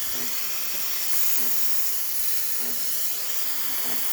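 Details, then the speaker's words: Breville espresso machine after a full service and factory reset. A strong, continuous high-pitched steam hiss with steady flow and no sputtering: excellent temperature and pressure, and the steamer stops automatically as intended. "Excellent temperature and pressure coming out of the steamer. And the steamer stops automatically as intended."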